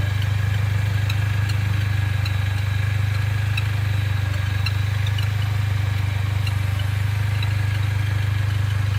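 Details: Mercedes-Benz A45 AMG, fully warm after tens of km of driving: faint, irregular high bird-like chirps a few times a second over an even engine hum, heard on a certain road or posture. Source unclear.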